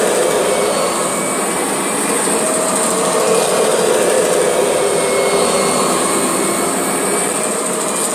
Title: Strange Noise Kirby G6 # 1